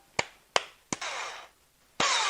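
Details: Bosch PST 5 3a jigsaw, several years old, trigger held: three sharp clicks, then the motor spins up, drops out and catches again, an intermittent cut-out usually blamed on the switch or brushes.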